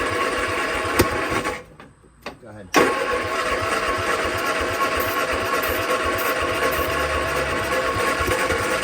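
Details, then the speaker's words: 1966 Triumph Spitfire MK II, abandoned 41 years, cranking after points cleaned and carbs rebuilt: uneven, lopsided starter cranking with a pause and no catch; no compression on cylinders three and four, valves appear stuck. "no compression number three or number four well let's get the valve cover off"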